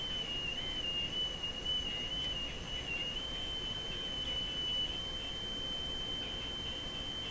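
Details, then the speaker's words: Spurious oscillation in a Sparton Model 5049 radio when the IF transformers are peaked: thin, steady whistle near 3 kHz over faint hiss, wavering slightly in pitch as nearby capacitance is varied; cause under investigation. "ide from the actual oscillating tone okay not quite the sound I would expect a nice pure oscillation"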